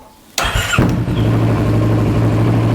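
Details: Kawasaki ER6N 650 after tightening battery terminal, previously intermittent no-start blamed on weak starter clutch (bendix): short starter whir, engine catches within half a second and settles into steady idle; starts cleanly.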